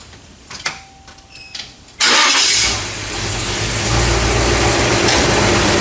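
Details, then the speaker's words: 1982 Chevy G30 camper van with automatic transmission, previously a non-runner: cranks, catches and settles into a fast idle above the 700 rpm base spec, with a buzzy rattle from loose muffler baffles; idle set too high. "Fires up, idle a bit excessive on the idle. Let's dial that back a little bit."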